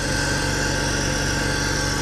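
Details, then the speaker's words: BMW E46 325ti M54 after CCV delete, catch can install and idle control valve cleaning: smooth even idle, steady firing, no stumble or hunting; a little known top-end tap noted; normal idle. "Stuff seems good. It seems happy. It does seem happy. There's a little tappy tap on the top, but I know about that."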